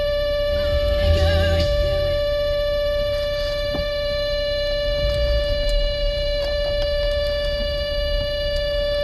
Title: Toyota Sienna whining noise